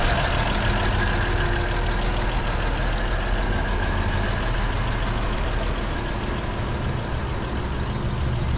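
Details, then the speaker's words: 1937 Chevy Master Deluxe coupe, after charging the battery: fires up and settles into a low, even rumble with a steady idle beat, no knocks or misses; normal cold idle. "Like a charm. Fired right up. Sorta."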